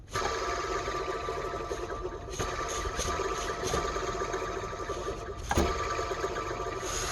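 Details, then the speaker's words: Mercedes-Benz with serpentine belt removed, tensioner pulley spun by hand: gritty scraping whirr with steady ringing tone; worn tensioner bearing, replaced with new bearings and Continental belt. "but deep down in the bowels here we have the tensioner listen to this baby"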